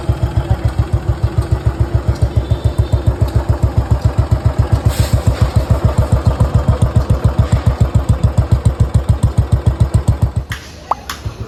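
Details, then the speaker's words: Restored Bullet Machismo 350 AVL, engine rebuilt after seizing from water, started with no battery fitted. A slow, even thump of about 3.5 beats a second with a deep, soft exhaust note: a quiet, healthy idle. "Engine की आवाज यहां तक आपको ढंग से नहीं आ रही होगी य देख इतना साइलेंट इंजन है"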